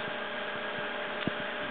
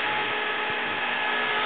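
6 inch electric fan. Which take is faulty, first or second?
second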